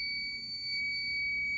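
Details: Fire alarm pull station activated during home system test 16 with SK2 panel acting up (no resistor, no batteries), washing machine running nearby; continuous piercing high-pitched tone, steady and unbroken, the fire alarm sounding.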